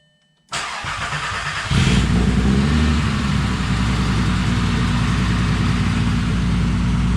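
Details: 2000 VW GTI Mk4 project with 237,000 miles, first start after blown-engine repair, fuel pump primed: cranks briefly, catches and settles into a smooth, steady idle with an even low rumble; healthy.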